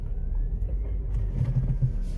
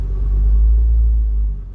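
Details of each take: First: Ford Focus (1999-2007) on a test drive after engine mount replacement; steady, smooth low rumble with no clunks or vibration buzz, shifting feels better, drivetrain noise fixed. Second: 1999-2007 Ford Focus with engine running: heavy, deep cabin drone and vibration, worse when shifting, caused by worn-out engine support mounts.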